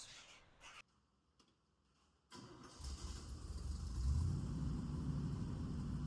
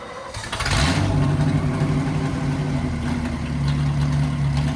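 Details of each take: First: 1963 Chevy C10 small-block V8 after new muffler fitted, previously very loud open exhaust: short crank then soft even low burble; quiet, healthy, well-muffled exhaust note. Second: 1963 Chevy C10 small-block V8 under restoration, running with no mufflers fitted before the new mufflers were installed. It catches and settles into a deep, loud, booming rumble. Unmuffled exhaust, expected to be much quieter once the mufflers are on.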